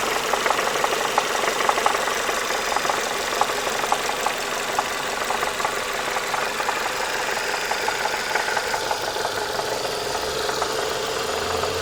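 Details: Renault Mégane II engine knocking when hot, heard on lift-off and at steady revs while driving: sharp light knocks about three a second over a steady engine note; cause not yet pinned down.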